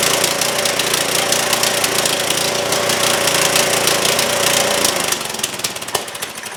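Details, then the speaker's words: Trailmaster go-kart with a Chinese Honda-clone engine, after further carb work: now stays running with the choke open but runs roughly, buzzing unevenly and faltering, and the throttle does nothing. "It is staying running with the choke open now. Not running very well and it should be in in low idle, but the throttle is doing nothing."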